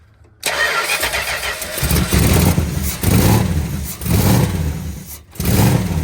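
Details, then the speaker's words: 1963 Chrysler 300J 413 RB V8 with cross ram twin carbs on a revival start, flooded and spitting fuel: lumpy surges rising and sagging about once a second, coughing and stumbling, smoky and stinky, no working accelerator pumps; rich running from flooded carburetors. "Well, it runs kind of. All right. So, it's a little smoky and stinky."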